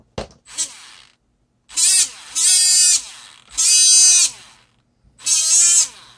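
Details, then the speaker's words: Used Traxxas Stampede/Rustler RC truck electric motor: high shrill whine in uneven warbling bursts; motor runs rough, owner suspects slight play in the motor shaft despite added washers; still not fixed. "I don't know if you guys can hear it at all, but there's a bit of a clicking sound when I do that, which means there's still some play."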